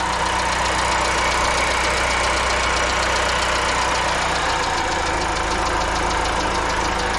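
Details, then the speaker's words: 2022 GWM Cannon L 4x4 diesel at 50,000 km, idling, heard under the bonnet: steady clatter with a rough, continuous grinding underneath. Service suspects a worn alternator bearing and a new alternator is apparently ordered; a noisy fuel pump is also present. "I'll start the car back up because I've actually got a uh a noisy alternator bearing as well they reckon underneath the Bonnet here I'm sure you can hear that in the background that extra grinding"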